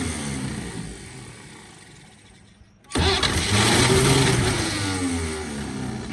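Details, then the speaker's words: 1946 Chevy boom truck engine, sat 35 years, previously water-filled and locked up, on pump-sprayer fuel with ether; slow rhythmic cranking, then a burst of firing and revving that doesn't settle; fires briefly but won't keep running. "She just don't want to run just yet. Give it a little bit of that and she should fire off. Well, she tried."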